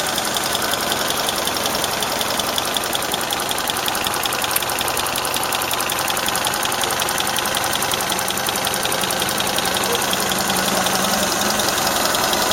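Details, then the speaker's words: Warm idle, engine up to operating temperature, with a quick steady ticking that follows engine speed; owner unsure whether a valve is tapping or the shafts are rattling, and notes a slightly leaking exhaust flex pipe and strong vibration. "То же самое, только двигатель прогрелся до рабочих оборотов."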